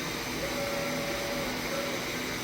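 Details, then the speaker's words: Doosan DN SVM 4100 CNC automatic grease pump lubricating ball screws and linear guides: faint steady mid-pitched hum for about 1.5 seconds over shop air noise, normal cycle. "so yes when it's quiet in here you will hear the pump going off if it's noisy very rarely you're going to hear it"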